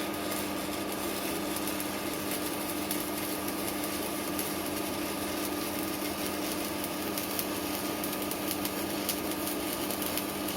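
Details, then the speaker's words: 160KS welding inverter hums as soon as its casing is refitted, and louder when the casing is tightened down. Constant hum with a thin whine; the arc itself is fine. Cause unknown, perhaps something inside touching. "То есть как только Кожев надеваю он начинает гудеть А если его притянуть так он вообще гудит"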